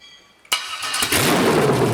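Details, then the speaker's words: 5.3L LS truck engine on MegaSquirt 2 with a newly wired stepper idle air control valve, during IAC tuning: fires up, revs briefly, then settles smoothly to a steady even idle with no hunting; normal idle. "all right that sounded like it was just coming right down to idle like i thought it would"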